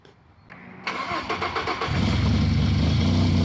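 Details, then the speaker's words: Ford F-150 3.7L/3.5L V6 first start after timing chain and head gasket repair: a few cranking pulses, then it catches into a smooth, even idle. It is loud only because both exhaust manifolds are still disconnected; normal start and idle. "Alright, that's the engine up and running right there with no problem. It's running very smoothly. The only thing is that it's so noisy because the exhaust manifolds on both sides are still disconnected, so it's very noisy, but the engine is running very smoothly."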